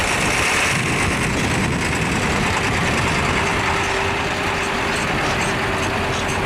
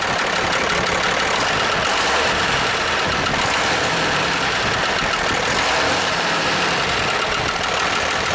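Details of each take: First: International truck with DT466 diesel, bump-started by towing in about third gear: steady even diesel idle with low rumble, no knocks or misses; excellent running engine. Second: International truck diesel at first start after fixing the fuel shut-off linkage: sharp, fast uneven tapping about four per second over a rough idle; owner suspects a lifter needing adjustment, bottom end sounds fine; turbo intake hose sucks shut.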